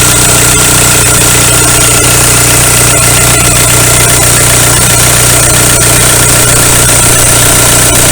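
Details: 2001 VW Golf TDI ALH diesel after injection pump head plug seal replacement and bleeding air from injector lines: steady even idle, light regular injector tick, no stumbling; running smoothly.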